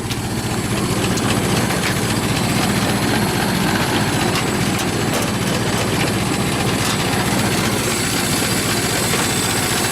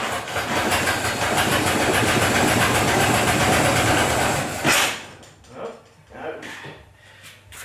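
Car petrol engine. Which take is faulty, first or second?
second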